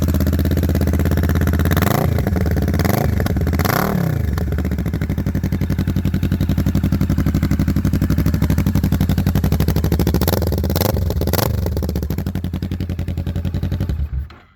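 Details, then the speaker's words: Kawasaki Vulcan 650 S twin with a newly installed aftermarket Smoke exhaust kit, recorded outside: even, throaty thump at steady idle with a few clean throttle blips, then shutdown. Runs smooth and healthy. "Alright, my final thoughts on this exhaust after driving it for a little bit. It sounds great. It's not too loud on the highway, which was one of my biggest fears."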